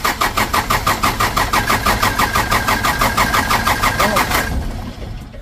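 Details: Toyota Dyna diesel after injection pump rear repair, plunger replacement and new filters, while bleeding the fuel: even starter chug about three per second for four seconds, never fires; cranking dry with air still in the fuel.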